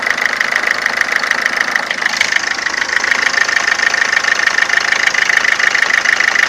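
Diesel idles with a steady, even tapping about three times a second over a high metallic ring; an abnormal knock, cause not yet pinned down.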